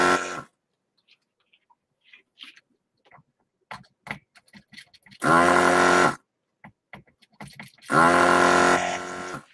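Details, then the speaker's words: Desoldering station vacuum pump, used while repairing an Apple IIGS ROM 3 board: two short bursts of buzzing pump hum, slightly unsteady in tone; the wobbly noise usually means the nozzle needs cleaning. "when it starts to make kind of wobbly noises it usually means that the nozzle needs a little clean or something"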